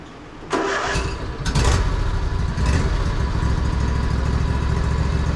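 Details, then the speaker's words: Husqvarna riding mower with terrible noise while driving, found with oil leaks and dry dipstick, oil just topped off; runs with loud rough heavy rumble, heard with clutch in and out. "I'll put you guys on the tripod and you can hear this how noisy this is trying to pull it into the shop"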